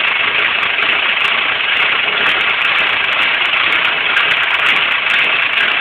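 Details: Nissan KA24DE engine: thin, raspy idle with a slightly uneven pulse; rough idle, cause not stated.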